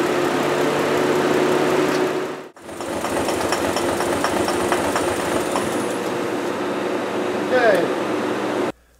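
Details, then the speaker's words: Small Korean car with returnless fuel injection, in winter, running off an injector-cleaner kit at about 50 psi: idle turns rough and uneven with an audible put-put from the exhaust and a brief stumble as the cleaner supply runs dry, misfiring from fuel starvation. "okay it's just started it's just started misfiring can hear the put-put-put-put-put from the exhaust so I imagine it should quit pretty soon"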